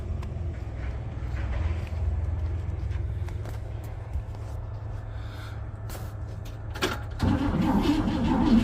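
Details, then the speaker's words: 1957 Pontiac Star Chief, sat for years in central Florida: starter churns steadily at about four turns a second and the engine seems to nearly catch near the end but won't run; crank no start, cause not yet checked, spark plugs to be pulled next. "sounded like it wanted to there a couple times but I'm sure I've got to do some checking"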